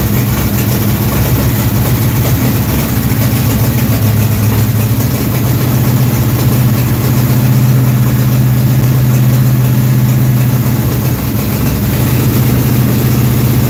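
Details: Dirt-track race car V8, hot after starting, idles loud with a steady, slightly lumpy beat of about four pulses a second, holding speed without stumbling. Running normally.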